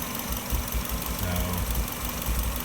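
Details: 1997 Subaru Legacy idling with an uneven, sporadic low rumble heard through the intake pipe. It began after fitting a '95 intake pipe and stayed after refitting the original. Earlier P0505 IACV code, none now; owner suspects exhaust leak or ignition miss.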